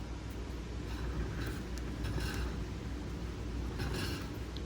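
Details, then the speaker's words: Ford F-150 Raptor rear brake shuddering when braking, pads low. The rotor turned slowly by hand gives intermittent dry scraping; owner suspects a slightly warped rotor, and new rotors and pads fixed it. "So, I'm thinking this may have warped just a little."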